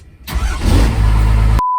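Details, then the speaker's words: Cummins diesel truck restarted after a new pump replaced one that blew a seal and caused idle issues: it catches almost at once and settles into an even, deep rumble. Normal start. "oh yeah that's awesome all right we are good to go let's go a little ride"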